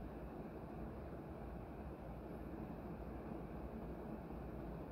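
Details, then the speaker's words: Leslie Locke "Play-It-Again-Sam" DF-482 vintage ceiling fan with a cast iron motor, made in Hong Kong, running with a soft, even low hum and no knocks or scraping; a slight ticking is heard from a wobbling fan overhead; normal ceiling fan run. "it's silent now i don't know if you hear there's a slight ticking noise from the blender fan over my head wobbling and this is fine"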